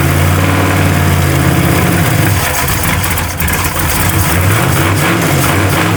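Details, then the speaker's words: Truck engine on a $200 Temu knockoff carburetor idles lumpy and uneven with irregular pops and a stumble, spitting back through the carb. Owner suspects it is running lean. "Ah, she is lean farting all over the place."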